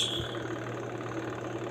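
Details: Sharp washing machine, spin dryer tested after owner reported smoke and burning smell: smooth, even low hum with steady pitch and no knocks or scraping; spin motor running normally.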